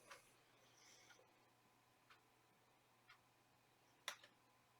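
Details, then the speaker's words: Compaq Presario 1060 retro laptop, running at the Windows desktop: faint, sharp single clicks about once a second from the hard drive as a warning appears that the drive has a problem and may need replacing. "warning your hard drive has a problem and may need replacing whoa"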